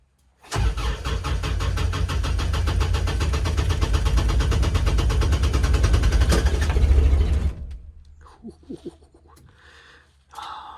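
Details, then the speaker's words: Kubota RTV900 diesel at -8°F, first try after about six seconds of glow-plug heating: starter spins the engine at a brisk, even rate for about seven seconds without firing. Owner suspects frozen fuel, possibly unpurged summer fuel. Cranks, no start. "thankfully my battery's pretty awesome yeah i think we may be frozen this might be major suckage"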